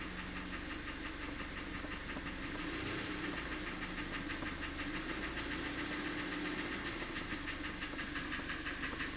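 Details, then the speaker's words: 2014 Kia Cerato 2.0 petrol, 166,531 km, burning oil, diagnosed with engine knock (timing chain suspected): hollow, regular light ringing knock about three per second over steady idle; piston slap from worn cylinders suspected. "Я пока не понимаю звонит Звонит звенит можно сказать а не стучит"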